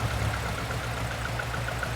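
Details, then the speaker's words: Barn-find Lotus twin cam, off the road 33+ years, just restarted: throttle released, low even idle holds on its own with regular soft pulses, no stumble or misfire. Normal idle. "Will it go with just letting go of it? Do you reckon it'll idle by itself?"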